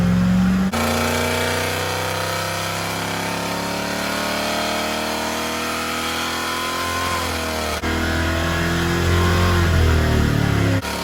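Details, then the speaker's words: Second full-throttle Superflow dyno run of a restored Rover P6 3500 V8, warmed up with timing adjusted; pitch climbs smoothly for about seven seconds, drops off, then climbs again; clean, even, healthy pull after a first run of 168 bhp and 202 lb-ft. "I'll do another run because that's the first one, and usually the second run produces a bit more. Ignition and pumps on, start button, full throttle, dyno stabilise the load."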